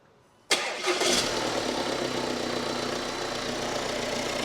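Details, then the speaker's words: Crash-damaged 2019 Audi Q5 diesel, engine seized after a holed sump lost its oil, now starting with no airbox fitted: quick crank, catches at once and settles into a steady, even idle with slightly loud intake; runs fine. "do you know what it's a bit loud cuz there's no airbox on it"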